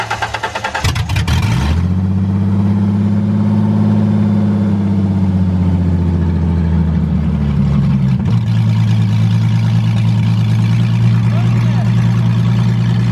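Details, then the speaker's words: $700 drift car project engine first run, started on a Focus battery, cooling system not yet purged or filled: brief crank, catches and settles into steady, even, deep idle; runs healthy, normal idle. "well she's back alive and she sounds healthy enough to about get ready to start"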